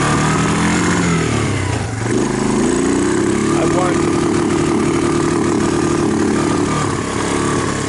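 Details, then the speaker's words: 2002 Kawasaki Lakota (owner also says maybe 2004), which had no spark, after a plug-and-play knockoff CDI replacement: revs up but stumbles with uneven popping above mid RPM despite a cleaned carb, new plug and choke changes; owner suspects the CDI. "I can mess around with the choke and it still does that so it went from running fine to not running replace the CDI and now it's doing this"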